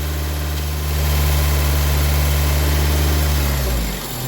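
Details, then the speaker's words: Honda Civic 1.7 VTEC, engine revved after rebuilding the VTEC solenoid, which is energized to test for leaks: steady idle hum whose note shifts and drops as the solenoid switches; the solenoid is working fine. "perfect you here the changeing idle you can tell that I'm energizing it"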